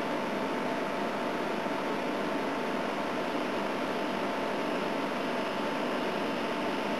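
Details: A/C unit on high fan, starting to freeze up, with head pressure: steady even rush of air with faint constant hum, no rattles or cycling; running normally.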